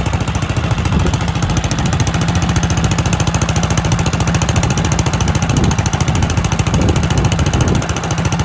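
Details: Kohler K91 single-cylinder engine, first run in 6 years after a makeshift exhaust was rigged and a stuck carburetor float freed: even, steady chugging with regular beat and no misses or knocks; normal running.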